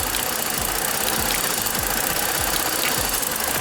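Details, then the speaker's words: 2014 Ford Explorer 3.5L at idle, in for heavy misfire, check engine light and P0019 bank 2 crank/cam correlation plus random misfire codes; intake cam oil control valve pulsed with power probe, retarding cam timing, engine runs choppy with uneven lumpy beat and irregular misses. "Just for the heck of it, I'm gonna go ahead and pulse this intake one. Should start running a little choppy."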